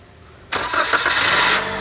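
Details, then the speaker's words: Toyota Calya/Daihatsu Sigra crank-no-start diagnosis with fuel pump fuse pulled: short crank, engine catches and runs roughly about a second on leftover fuel in the pump, then sags and stalls. "dia bisa nyala tetapi eh dalam waktu Sebentar mesinnya mati kembali karena tadi penyalaannya karung Bukan karena apa tapi karena sisa bahan bakar yang ada pada pompa"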